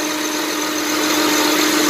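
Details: 2007 Honda Pilot 4x4 idling with a failed, non-charging alternator and the battery at 12.66 V: a steady mid-pitched whine over a hiss, suspected to be alternator bearings, unconfirmed; a rebuilt alternator was bought.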